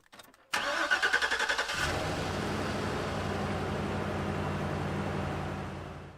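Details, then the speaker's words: Large truck with a completely dead battery, jump-started with a NEXPOW portable jump starter: a brisk crank of about a second and a half, then it catches and settles into a steady, even idle; starts fine. "Okay guys, so you saw that I did start the truck."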